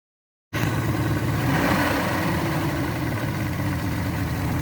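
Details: Yamaha 225 hp outboard at its first start after JB Weld epoxy repair of the block between cylinders 5 and 6, in neutral with extra oil: catches after a gap and settles to a steady idle of about three beats a second; owner unsure it is firing well.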